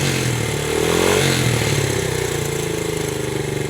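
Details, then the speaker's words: 1970 Honda CL100 with about 11,000 miles, a formerly seized engine now freed, running without a battery and still smoking. It blips briefly, then settles into a steady, even putter with no knocks or misses. Normal idle. "just going to let it run guys I am counting this W right here from a stuck engine to it running and it sounds good"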